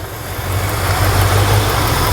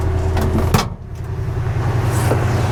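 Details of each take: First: 1968 Ford F100, 360ci V8, 4-speed, idling: lumpy idle with a faint crackling snap over the low rumble. The spark is jumping from inside the boot, so that cylinder is missing; a cracked spark plug insulator or a loose boot is suspected. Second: 1968 Ford F100, 360ci V8, after replacing cracked spark plugs with Autolite 45s: catches quickly and settles into a smooth, even low idle; the earlier ticking from spark jumping at the plug boot is gone.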